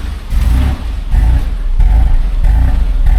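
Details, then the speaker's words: Mazda Bongo 2.5 V6 after new fuel filter and electrical parts: lumpy uneven rumble surging and dropping about every two-thirds of a second, still misfiring badly; some white smoke noted, codes and compression test next. "okay it's still misfiring quite badly"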